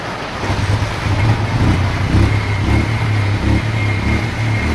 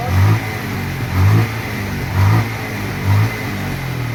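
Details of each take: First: Bajaj Pulsar 150 with a low battery, idling with an uneven, stumbling beat as firing strokes drop out; water in the fuel during rainy season, tank and vent hole clogged. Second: Bajaj Pulsar 150 after petrol tank cleaning for misfire, weak battery: single cylinder picks up cleanly and drops back, four even throttle blips about a second apart, no stumble or popping.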